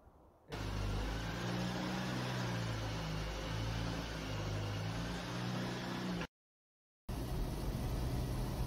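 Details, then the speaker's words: Land Rover Series 3 driven front-wheel-drive only, prop shaft and rear half shafts removed, at 40–50 mph off the throttle: steady low engine and road drone, no drivetrain whine, normal; noisy diff replaced with Ashcroft 4.75 ratio. "noise I'm back folks and I'm Mighty relieved because it makes no un noises at all now it's it's really just what you'd expect"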